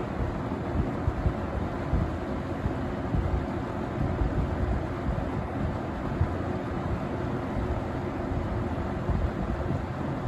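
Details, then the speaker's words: Vintage 1970–71 Windsor (Lakewood P-21) box fan on low speed: a steady, even whoosh with a soft low hum and no rattle or knock, despite a slightly out-of-balance blade; runs well with good spin-down; normal running. "um so yeah fan runs pretty good though surprisingly it just seems like it's ready to go it runs good has a good spin down time"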